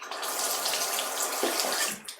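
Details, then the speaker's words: Tap after fitting a new cartridge: steady, full hiss of water pouring evenly with no sputter or surging; a fuller, healthy flow. "Well, that seems to be fuller. Yeah. A fuller flow."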